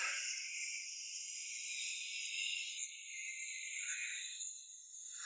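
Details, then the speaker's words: Volkswagen with heavy steering, noise on the right side: high raspy creaking as the wheel is turned, from a worn dry front strut top mount pressure bearing. "La raison en est que ce roulement de pression est usé Ensuite, le volant est lourd et le bruit anormal"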